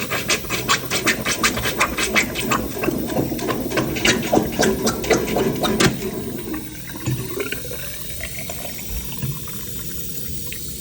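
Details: Blocked hotel sink being plunged: sharp sucking plunger strokes, then a smooth gurgling swirl as water drains freely; blockage cleared, free-flowing drain.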